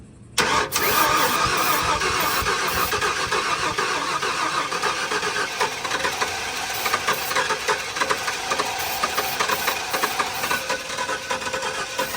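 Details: 1994 Ford F-150 parked seized for 7 years, with fresh gas and primed fuel line: steady fast cranking churn with a few weak attempts that never catch; loose distributor kept timing off, fixed by tightening it.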